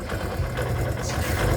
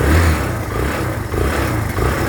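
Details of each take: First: Kawasaki Barako 2 single-cylinder motorcycle, noisy and weak pulling: uneven, intermittent clatter like coins rattling inside over a lumpy idle, louder on throttle; points to a slack chain with a worn tensioner. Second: Kawasaki Barako 2 after repairs for an intermittent noise and poor pulling: steady, even single-cylinder idle with a smooth low beat and no knocks or ticks; the noise is now gone.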